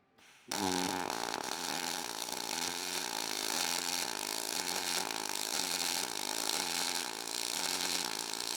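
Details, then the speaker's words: Everlast 253DPi MIG on aluminum, dual pulse at one pulse per second, .045 4943 wire, 1/8 inch material, 0.3 s preflow, 4.5 s postflow: steady crackling arc with clear rhythmic high-low pulsing, audible even when tacking; normal dual pulse weld. "So, you can really hear that high low with that dual pulse. even just tack and you can hear that. So that's our our dual pole."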